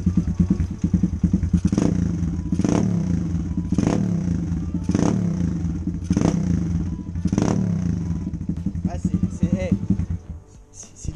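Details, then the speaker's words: 2021 Gunshot 125 two-stroke dirt bike at first start, revved in sharp blips about once a second with the baffle removed; raw, crackling, very loud and harsh, louder than the owner's de-baffled Gunshot 140. "c'est limite trop. Je vous jure, c'est trop. Elle a fait plus de bruit que mon 140 déchicané."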